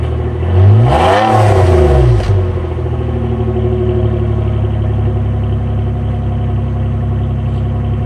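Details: 2009 Nissan Maxima V6 with a deliberately made exhaust leak revs briefly, then idles with a loud, raspy, puffing exhaust note.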